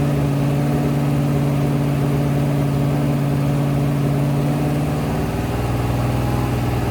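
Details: Rebuilt 426 Hemi crate V8 (new heads, intake, pistons) on a run stand during flat-tappet cam break-in, about 15 minutes in at roughly 210°, 50 psi oil pressure: strong even fast-idle drone dipping slightly near the end, no knocks or ticks; healthy.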